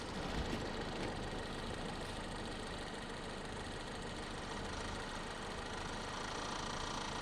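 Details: 1951 Korean War M38 army jeep, four-cylinder not run in years, first start with starting fluid after points diagnosis and fuel pump reconnected: uneven chuffing beat with misses, rough unsettled idle; runs, likely no coolant, fuel may need adjusting.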